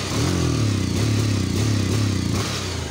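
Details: Bajaj Pulsar 150 single-cylinder: revs unevenly, the beat stumbling and dropping out between pulls and not revving freely; misfire, owner suspects an ignition problem.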